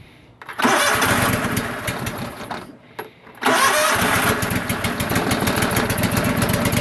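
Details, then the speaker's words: Cub Cadet lawn tractor single-cylinder engine, started without choke: fires after a stumble then settles into a steady, even beat with no smoke, knock or tick; kill switch not working and no dash lights. Normal running. "it's not smoking it's not knocking it's not ticking it actually sounds reasonably good in my opinion"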